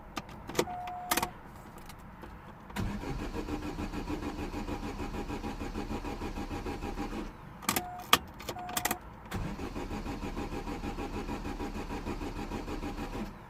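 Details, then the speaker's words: 2009 Vauxhall/Opel Astra H 1.6 petrol with P0685: two long cranking spells without catching and no fuel pump hum; crank no-start because fuel pump is not running. "still nothing and I know exactly why because I haven't seen I haven't heard the fuel pump yet definitely no fuel pump"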